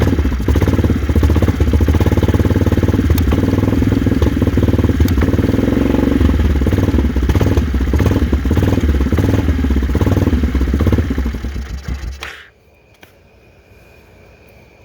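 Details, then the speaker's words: 2001 Yamaha Kodiak 400 ATV, diagnosed by a shop as a seized engine, found to be a stuck piston in the cylinder and freed; single cylinder thumps at an even, steady beat about twelve seconds, then shuts off. Normal running. "here at 509 trails we diagnosed it to being a stuck piston now it runs"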